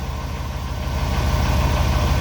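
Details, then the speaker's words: Chevrolet 2500 Suburban 6.0 Vortec, 269,000 miles, started cold after sitting days: quiet at first, then fast low metallic clatter grows over warm idle; owner suspects piston slap as oil thins, also wonders about heat riser valve; engine rattle at idle when warm. "nice and quiet now you give it a few seconds to warm up and the pistons will start slapping around in their bores once the oil thins out i guess"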